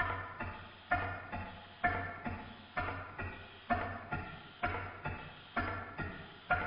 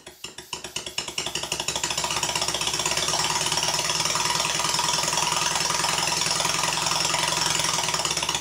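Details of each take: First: Stuart Sirius model steam engine running in new big end bearings after adjustment, with repeated relubrication: even, regular exhaust beats about once a second with no knock between them; running a lot better, smoothly. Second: Stuart Sirius model steam engine before dismantling: crisp, even exhaust beats about three a second with a slight knock behind each; valve admission timed late and big end brasses slightly sloppy, causing the knock.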